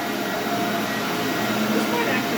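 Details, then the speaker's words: SC Johnson Vectron (Iona) vacuum, originally a commercial machine, first power-up after unboxing: steady even motor whir, constant pitch, no surging, Ametek-style Phantom sound; possibly original, possibly a universal motor, running normally. "Oh, yeah. Sounds like a Phantom. It's got that um signature kind of whirring and Ametek motor sound."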